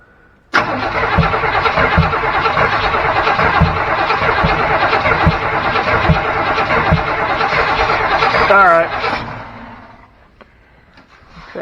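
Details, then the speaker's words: Chevy C10 short bed truck, parked 16 years, throttle not hooked up, vacuum leaks suspected. Starter cranks steadily, about three beats a second for eight seconds, never catches. Not starting because no fuel reaches the engine. "okay so why is it not starting just because there's no fuel it's not getting fuel"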